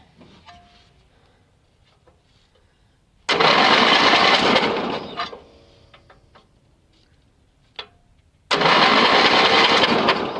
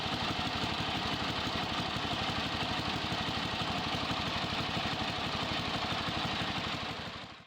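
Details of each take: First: Yardman (MTD) riding mower with booster connected, spark plug grounded out for testing: two cranking bursts of about two seconds each, the engine turns but never catches; no spark seen. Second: Yardman (MTD) riding mower after disconnecting the grounding switch wire that was killing spark: steady, even rapid putter at constant speed, then a clean shutdown; normal running, charging now restored.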